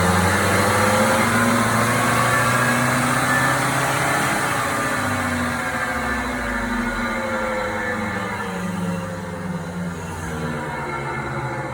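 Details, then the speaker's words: Mk6 VW GTI front wheel bearing heard via stethoscope on steering knuckle: loud steady grinding rumble with pulsing beat, tones sagging as wheel slows; bearing not loose but binding, jerks when turned. "i've never heard a noise that loud"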